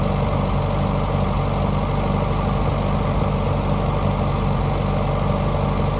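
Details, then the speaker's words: Grandpa's old tractor, just revived after the fuel was turned back on: dense, steady low rumble with an even, unhurried beat and no knocks or misses; normal idle. "and there she is i don't know why that's one of the most satisfying things i've ever started but it is"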